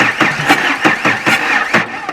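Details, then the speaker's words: Crashed Audi 80 start attempt with a dead battery: starter churns in regular pulses about twice a second, turning over without clicking or bad sounds, but the engine never catches and cranking fades out. "I mean, it doesn't sound bad. Yeah, but the battery is dead. Battery dead. But it turns. It turns. It doesn't click. It doesn't do bad sounds."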